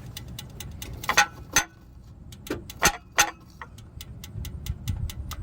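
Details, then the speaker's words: Dodge Challenger SRT8 6.1 Hemi with cylinder 8 misfire and tapping when running; fast metallic ticking continues after shutdown near headers, louder after restart, stops when headers tapped; owner suspects lifter, earlier valve springs. "I'm gonna start it real quick and then turn it off again and the ticking gets louder and it just keeps doing it right"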